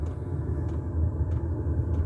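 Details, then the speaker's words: Diesel air heater heating a home, first start this year after fuel pump ticked rapidly to prime: fan starts with a steady low roar as the turbine spins, faint regular ticks, normal combustion fan startup. "Yeah, there you go, the fan's going. You hear a little roar as the like the turbine goes round,"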